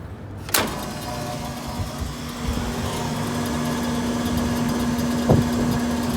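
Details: Walk-in cooler scroll compressor that would not start, restarted after leak check, vacuum and opening service valves: thump at start-up then steady even hum with no knocking or rattle; running normally.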